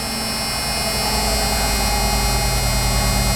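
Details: 1991 Ford F150 idling after front 19-gallon fuel tank swap with clean tank, new fuel pump and filter: steady even hum, smooth low drone, no misses or knocks; normal clean idle.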